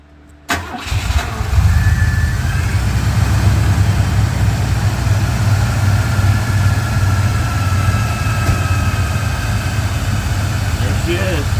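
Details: 1987 Oldsmobile Cutlass Supreme 307 V8 after replacing and tightening the alternator, power steering and AC compressor V-belts: catches quickly and settles into a steady, deep idle with no belt squeal.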